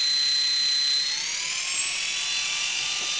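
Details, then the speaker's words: Brushless motor driving a planetary gearbox for an RC UH-1H Huey helicopter, first powered run-up, throttle raised from about 10 to 20 percent: clean high whine climbing smoothly in pitch, no rattles or grinding; motor and gearbox running smoothly. "there's number two everything feels nice and smooth the motor is turning but it's very low torque"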